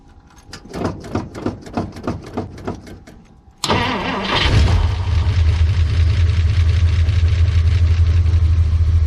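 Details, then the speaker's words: 1959 Dodge Coronet V8 on cold start: cranks about three times a second, catches and settles to idle with a faint light lifter tick that goes away immediately after firing up and stops once driven. "Has just a little bit of a lifter tick when it first fires up, and then it immediately goes away."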